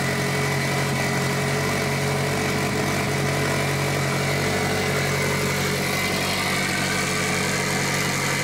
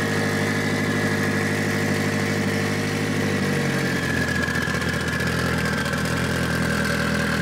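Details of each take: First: Mitsubishi Evo 8 4G63T on first start after engine rebuild, on a lift with one mount missing: steady but noticeably fast idle, even drone, no hunting; high idle, first suspected an air leak, traced to a misadjusted throttle body. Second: Mitsubishi Evo 8 4G63T after engine rebuild, following throttle body adjustment: steady, even idle with smooth low hum, no hunting, hissing or misses; high idle fixed, normal idle.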